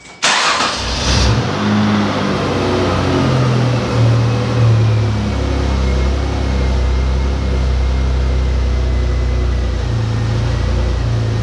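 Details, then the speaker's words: 2004 Ford Escape 3.0L V6 after head gaskets, timing cover, oil pan and exhaust work, mixed-up cylinder 1–6 labels flipped back to correct cylinders: quick start, brief rev, then smooth even idle with no stumble or miss. "the thing starts like a dream so let's start it up let's hear it run"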